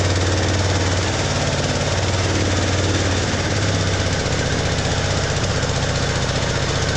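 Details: Ride-on lawn mower tractor with a homemade simplified wiring harness, started with the fuel opened despite a relay the owner says is faulty. Steady, even small-engine chugging at a constant low beat with no misses; running cleanly after the start.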